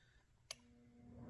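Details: Master Electric 750-1500W small space heater after repair, set to 750 W and thermostat switched on: one sharp click, then a low steady hum building as the element powers up; normal thermostat switch-on.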